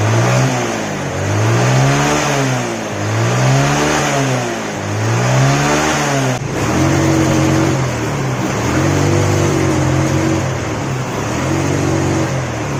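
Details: Yamaha Mio scooter that sputtered at high RPM, after refitting the carburettor vacuum diaphragm: revs cleanly in smooth repeated blips, then holds steady higher revs with no sputter or misfire; fixed without parts.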